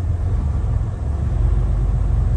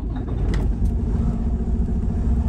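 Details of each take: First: Diesel truck with 706,000 miles, code SPN 1328 FMI 31 (injector 6): idle stumble evens out at about 1000 rpm; low compression in cylinders 4, 5, 6, improved by valve adjustment. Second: Diesel truck with 706,000 miles, injector 6 fault code SPN 1328 FMI 31, low compression in cylinders 4–6, after valve adjustment, air filter off: steady smooth idle with audible turbo spooling, no knocks; runs much better than before.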